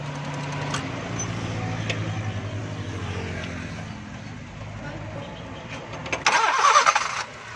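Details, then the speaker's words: 1998 Honda Civic with CNG that briefly started then died after gas filling, with gas jammed ahead. After the fix it turns over and picks up to a low, even idle with no stumbling or misfire: normal start. "लेकिन दोस्तों अब ये convert भी सही हो रही है और गाड़ी स्टार्ट भी सही हो गई है।"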